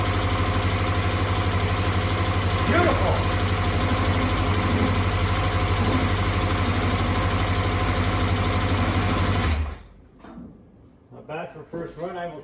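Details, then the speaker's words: 1984 Honda CBX750 four-cylinder after engine repair and refit, hot start on booster pack: fires and idles smooth and even about ten seconds, then shuts off cleanly; healthy, some oil residue burning off. "that all day long this is a hot start very happy she's running quite [Music] nicely not too bad not too bad"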